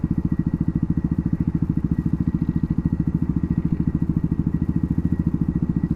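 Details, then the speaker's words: WR250R motorcycle idling after a ride: steady low idle with an even rattling tick, about three per second, likened to Morse code with a mini cowbell; source of the rattle undetermined. "Now I can really hear it. It's like a rattle. Sounds like money to me."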